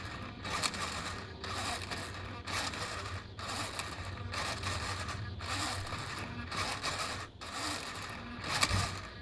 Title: Savox servo clicking sound